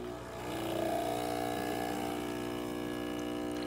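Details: Breville Oracle 980XL espresso machine after its leaking O-rings to the steam wand were replaced: a steady, even pump drone with constant buzzing while the shot pulls, with no rattles or surging. Water flow and pressure are good; the pump runs normally.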